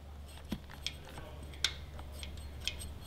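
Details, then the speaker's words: Jeep/Dodge 3.6 L Pentastar, engine off, valve cover removed to trace the tick: light finger taps on one rocker give sharp metallic clicks from side-to-side play, showing the faulty rocker/lifter. "try up and down feel the up and down movement and again watch your lobes but see no noise but if i do side to side i got noise"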